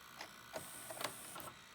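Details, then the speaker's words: Old VCR loading a junk tape: quiet, then sharp clacks and a short rasping scrape over about a second; tape mechanism straining, tape possibly lost, cause not confirmed. "That sounded horrible. That is horrible."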